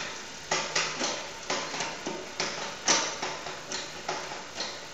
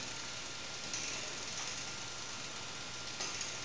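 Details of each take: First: Bicycle rear derailleur after cable tension was adjusted with the barrel adjuster; crisp single clicks shifting cleanly through the gears with no chatter or grinding, indexing set right. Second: Bicycle rear derailleur pushed into the lowest gear with the low-limit screw too far out: two sharp metallic pings over a steady hiss as the mechanism catches on the spokes. Fixed by turning the screw in half a turn at a time.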